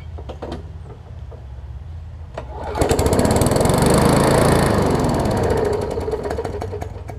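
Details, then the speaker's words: Briggs & Stratton Classic bagger push mower: low, lumpy idle that revs up, holds, then sags back on its own, surging and running rough; owner calls it a classic carburetor diaphragm issue, diaphragm to be replaced. "so so that's pretty much a classic diaphragm issue and get it on the bench over there we'll uh change out the diaphragm check the oil and air filter and stuff like that and see what else we need to do with this one"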